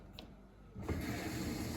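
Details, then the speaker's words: GE GDT605PSM0SS dishwasher that suddenly stopped washing, after replacing the recirculation (main wash) pump, run in service test mode: a click, then low hum and steady water swishing; pump recirculating normally, repair fixed it. "sweet I can hear it recirculating it worked awesome okay so that fixed it um I can hear it swishing really good"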